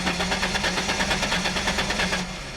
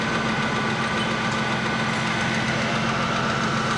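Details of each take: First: Hot Ford Mustang, manual, in neutral, fuel pressure reading zero at key-on with inertia switch not tripped: steady, even cranking, several compression beats a second, never fires; no fuel reaching the engine. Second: Ford Mustang after fixing a no-start (fuel pump checked) on a car that had sat a while: steady, even idle with a constant hum and no misses or surges.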